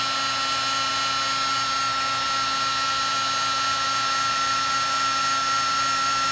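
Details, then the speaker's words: Heat gun shrinking heat-shrink tubing: constant high whine with a faint gritty grinding rasp. User suspects the fan is rubbing. "That doesn't sound that great. It's just hear a little bit of a grinding sound."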